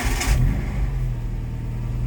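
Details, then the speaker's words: Suzuki SJ80 with 1.6 conversion, 135,000 km, sat outside a while, started dead cold: short crank, catches at once, settles into an even low idle with no stumbling or ticking; starts quite nice, clean cold start. "starts quite nice. Dead cold."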